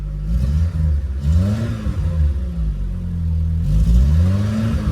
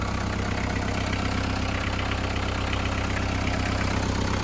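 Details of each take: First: VW Polo breadvan carburettor engine; choke off, throttle blips rise and sag unevenly, revs falling off and nearly dying. Carburettor mixture slightly off and needs tweaking. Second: VW Caddy pickup diesel, running on a very low battery; steady even idle clatter about 160 beats a minute, no misses or odd knocks. Normal idle, engine seems good.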